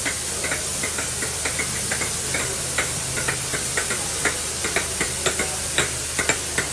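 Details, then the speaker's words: Train air system with main, auxiliary main, brake cylinder and door reservoir air boxes. A steady air hiss with quick light clicks about twice a second: the spyax valve is venting moisture normally. "Quite a common noise with these is the tissant. This is what we call a this is a spyax valve on all the air boxes."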